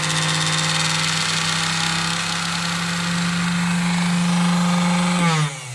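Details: Singer 431 sewing machine, newly arrived with shipping damage and play in the drive worm journal: loud steady buzzing drone with rattly vibration sagging as it winds down; motor noise, cause narrowed but not confirmed.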